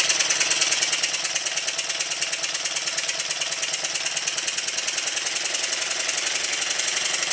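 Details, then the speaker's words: Newly built Stuart triple expansion model steam engine, first run-in on the bench after timing the low and high pressure cylinders and oiling, still tight: brisk, even chuffing about three strokes a second; running smoothly. "currently it's quite tight but very soon it should ease off a little and become a lot looser"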